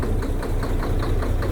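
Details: Diesel truck at idle: sharp regular knock about five times a second over rough idle; loosening injector lines one at a time, the knock disappears when the last one is loosened, pointing to one cylinder.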